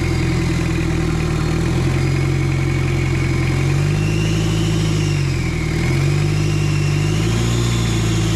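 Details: Mitsubishi Adventure diesel with an adapted turbo on a stock engine internally, first start: steady idle with light blips, faint high whistle rising and falling with revs; turbo spooling normally.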